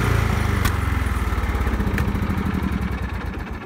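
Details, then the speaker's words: John Deere L110 curb-find riding mower, started with choke and starting spray: steady single-cylinder thumping at fast idle easing slightly; runs well enough, though the gas tank has a problem and battery is dead. "obviously it runs and it seems to run well enough but we do have a problem with the gas tank"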